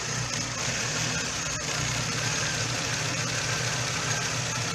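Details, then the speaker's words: Hyundai i30 1.6 16v with 140,000 km, plugs black as if running rich: a shaky, stumbling, jerking idle that usually stalls soon after starting; the timing chain tensioner failed and the chain jumped. "pewnie słychać jak pracuje strasznie szarpie nagrywa teraz udało mi się go utrzymać że tak powiem przy życiu Bo zazwyczaj to po chwili gaśnie"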